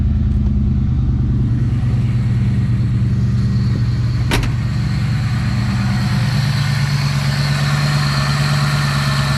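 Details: 1971 Ford Maverick 302 V8 with a newly installed Edelbrock Pro Flo 4 EFI: steady deep idle broken by a single sharp pop. Occasional backfire; the owner suspects the distributor timing (about -12 degrees, not yet set with a timing light).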